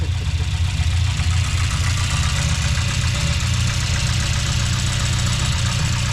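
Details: 1996 Chevy C3500 dually that would not start, first test fire after tightening the crankshaft pulley/belt: catches and settles into a steady, even low-rumble idle with no slapping or knocking; running normally.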